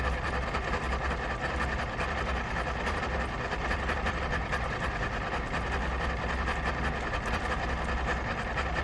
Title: 0718 rough idle but running